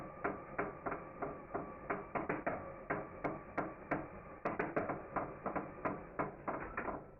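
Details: Engine turned slowly by hand with the connecting rod fitted but no piston: sharp, uneven knocks about three a second; rod bearing play suspected, not confirmed.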